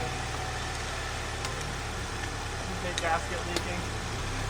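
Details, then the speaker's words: 2008 Pontiac Solstice after head gasket replacement, first start after clear-flood cranking for oil pressure: quiet, steady idle with a low even hum and no engine noise; it smoked burning off coolant, and an odd clicking was noted; normal idle. "really doesn't like having water poured on it but that seem to run okay pretty quiet don't hear any engine noise"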